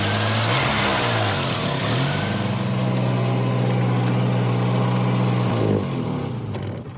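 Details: Volvo 240 warming up: steady, even hum stuck at a high idle that never settles low. Blown top cam seal leaking oil and an exhaust leak also noted; high-idle cause unconfirmed.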